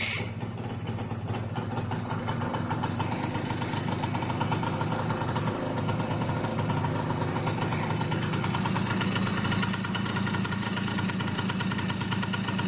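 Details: Simson S51 two-stroke, first start after about two months stored, freshly refuelled with mixed petrol and oil, fuel tap opened: kick-started cold, catches within a second and settles into a steady, even idle with no misfires or knocks, heavy smoke.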